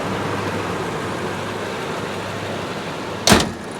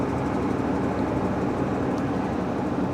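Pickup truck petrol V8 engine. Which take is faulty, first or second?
second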